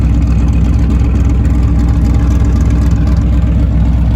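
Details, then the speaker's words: Muscle truck V8 with choppy cam on Holley Sniper EFI after a failed injector was repaired and retuned, idling with cutouts open, Magnaflow exhaust: loud, deep, lumpy chop about four beats a second; normal healthy idle. "Oh man, I'm so hot that this thing is finally running right. Listen to that chop too, boys. The thing is playing hot for teacher right now."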